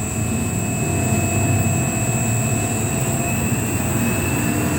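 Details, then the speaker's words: Three-phase motor driven by an NFlixin VFD (220 V single-phase in, 380 V three-phase out, 1.5 kW, 3.7 A) at low frequency: a steady, even hum with a thin constant high whine from the drive and no knocks or rubbing; healthy. "Jalan mutar pada frekuensi 2. Ini 2 frekuensi, 2 hasil. Nah, 2 putaran per detik."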